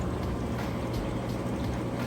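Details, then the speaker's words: Kenmore HE washer on heavy duty, final spin at near top speed, lid lock bypassed: steady even high-speed hum with gurgling drain pump, no knocks or scraping; spinning and draining properly. "But you can see it's spinning nice and fast. It's getting all the water out of that drain there, you can hear that."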